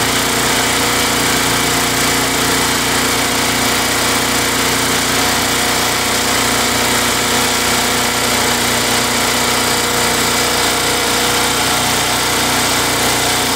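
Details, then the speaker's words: Craftsman Eager 1 mower, Tecumseh 92 cc single-cylinder engine, after surging repair using Mechanic in a Bottle fuel additive: steady even buzz, no hunting or surging; runs smooth and healthy, repair judged successful. "well guys it's running pretty good um I think that's a successful repair"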